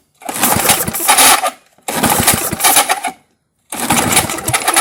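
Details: 1978 Craftsman-branded Tecumseh LAV50 small engine, choked by hand because choke linkage was disconnected: three brisk pull-cord cranks that never catch; out of timing from a sheared flywheel key.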